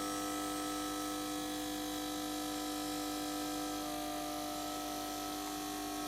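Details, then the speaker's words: HP 8901B modulation analyzer set for 230/240 V, failing to start with a flickering display: steady mains buzz with unchanging tones, AC ripple coming through unsmoothed; suspected failed power supply filter capacitors. "it does sound like a power supply problem sounds like caps are gone it's just no smoothing AC"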